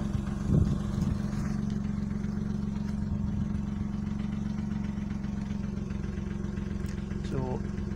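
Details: Vauxhall Opel Corsa B with replacement engine, new timing chain and fresh oil, heard from outside: steady, even idle with clean hum and no knocking or tapping, sounds healthy; owner notes a slight gearbox rattle he ignores.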